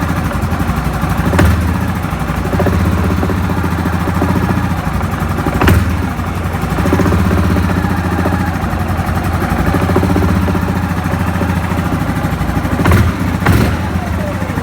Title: Ямаха Гризли 700 стук со стороны вариатора